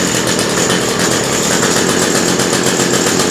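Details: Cheap two-stroke hedge trimmer started on full choke after priming: steady high-revving buzzing note holding an even pitch with no misses or surging; normal running.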